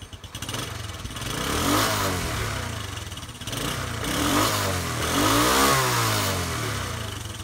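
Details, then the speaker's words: Postie bike after carburettor, air filter, oil and spark plug replacement, in neutral: starts first time, small blips rise and fall cleanly from idle without stumbling or popping; rear wheel spins from tight clutch. "Started first time. I mean, the wheel is spinning because the clutch is a little tight."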